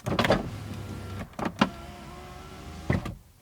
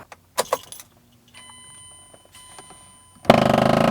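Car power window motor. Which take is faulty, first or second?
second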